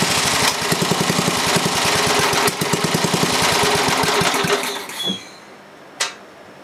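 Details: Briggs & Stratton 11 hp flathead single (model 25), first run after a year idle, cold start at about 60°F after a night in the 30s: strong steady thump for about four seconds, then shuts off; runs well, burns a little.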